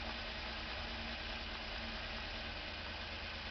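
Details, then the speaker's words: 1949 Chevrolet Deluxe inline six, cold start with choke: low loping idle with uneven beat, skipping because number five cylinder is dead; owner plans to drop pan, pull rod and re-ring it. "I'm going to go ahead and U r-ring it as well because number five cylinder is dead"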